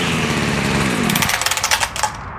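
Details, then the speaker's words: Echo SRM 2400 trimmer that previously wouldn't rev, after carburetor rebuild, started first pull, choke off: buzzes cleanly up to a crisp high rev, blips down and settles; running normally. "That's the way it's supposed to sound. Gotta love those old Echoes. Started on the first pull and she sounds like brand new after a carb rebuild."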